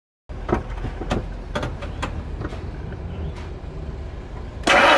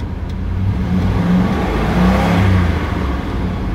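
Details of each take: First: Ford Expedition with a leaking fuel pressure regulator letting intake vacuum draw fuel into the intake, flooding the engine and causing hard start, black smoke, hesitation: scattered clicks, long labored churning at about four pulses a second, only roughly catching. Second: Ford Expedition after replacing leaking fuel pressure regulator (was pulling fuel into intake vacuum, causing hard start, rough idle, low power, black smoke) and new spark plugs: catches and revs smoothly, settles evenly with no misses or knocks.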